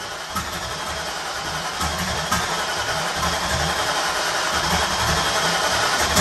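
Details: 1994 Ford Mustang 5.0L V8 with Holley Terminator X EFI, Holley high-ram intake, Anderson N41 cam, Pro Comp heads and turbo setup, on its first start attempt after fitting a GM MAP sensor. Fuel pressure is present. Steady starter churning about four beats a second, with a few cylinders popping and nearly catching, but it never runs on its own. The owner suspects too much fuel; not confirmed.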